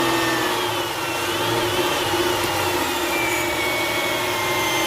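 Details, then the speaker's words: 2008 Dodge Charger 3.5L V6, engine running at idle then revved: a faint high alternator whine over the engine, drifting in pitch and growing louder with revs, fading as rpm drops; the failing alternator isn't charging well and gets replaced. "let me start it up so you can hear the whine that I'm talking about about alright everybody we're starting it up so we can hear that whine there you go you can hear the alternator winding a little bit now rev it up"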